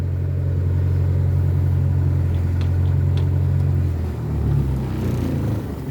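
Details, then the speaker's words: Mk1 Ford Escort barn find, carbureted, not run for over 6 months, slow fuel pump: the engine drone holds for a few seconds, then sags, wavers and stumbles. Rough running, won't hold idle. "I was going to say it's going to idle as well but we can't get that lucky having a bit of a Wilt now"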